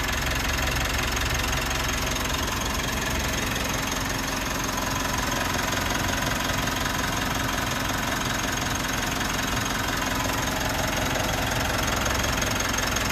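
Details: 3rd-gen Mitsubishi Montero/Pajero Sport diesel, first start after weeks sitting, battery 14.1 V; settles straight in, steady even idle clatter with no misses, knocks or surging; normal idle.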